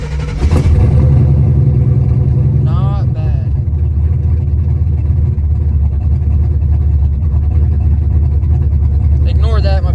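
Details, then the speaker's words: Warm SBF turbo 383 V8 after installing new rocker arms: deep steady idle rumble with no ticking, even and smooth; the earlier ticking is fixed and the engine runs healthy. "oh she is sounding good"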